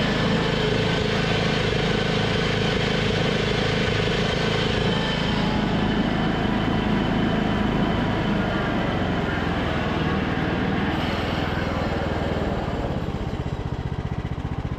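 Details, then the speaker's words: Craftsman LT2000 riding mower with the deck engaged: a steady engine drone with a rough grinding rumble on top. Spindle bearings are still noisy after being pulled, cleaned and re-greased, so they are worn; the carburetor surging also persists. "I tested the mower deck. It was making a ton of noise. I tried to pull out the rest of the bearings, clean them, and re-grease them, but I'll show you guys, they're still pretty noisy, and I don't want to sell a machine like that."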